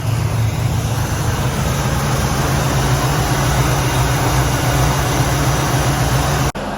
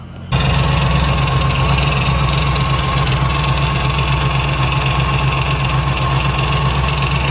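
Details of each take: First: 1967 Pontiac Firebird with a Pontiac 455 V8, after the wobbling loose power steering pump pulley was tightened and the belt refitted: steady, deep idle rumble, previous rattle/tick gone. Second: 1967 Pontiac Firebird with a Pontiac 455 V8, starting and idling: a quick, steady rattle of about four taps a second that increases with rpm; stethoscope ruled out the valvetrain; traced to the power steering pump pulley.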